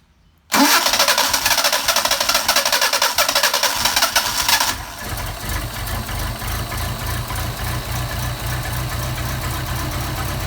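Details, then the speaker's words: Mercedes 190SL Solex carburettors on a test engine, cold start on choke with the carbs not yet adjusted and the idle mixture screw backed out half a turn: a brief crank, it catches at once and runs evenly and steadily with no misses; healthy. "now you can't really adjust these things until they get warmed up but considering Haven done any adjustments to them at all that's pretty darn impressive"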